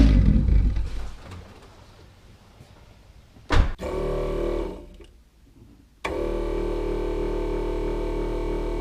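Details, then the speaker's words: Electric turbo oil scavenge pump at front of car wired direct to battery, engine idling; constant droning whir of steady pitch over the idle, annoying despite silencing efforts. "you hear the pump you hear the pumps kind of annoying well done everything I can do to silence the pump I think I'm just going to get a different style of pump that's a lot quieter"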